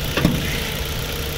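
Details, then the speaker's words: 2008 Ford Focus 1.4 petrol, 80 hp, 16-valve twin-cam, 5-speed manual, timing replaced at 89,000 km by Ford: steady, even idle with a smooth low hum and no knocks or misses; engine sounds healthy. "Amúgy ugye egy 16 szelepes, kéttengelyes ugye motor, és halljátok, hogy teljesen normálisan szépen jár."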